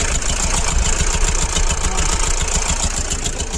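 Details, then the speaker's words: Mahindra Bolero Pickup BS6 diesel at idle with a sudden engine noise: quick, regular ticking about three or four taps a second over the diesel clatter, attributed to a damaged hydraulic tappet. "कई बार इसके tappet hydro है वो अंदर से damage हो जाता है उसी के कारण क्या है आवाज आ रही है"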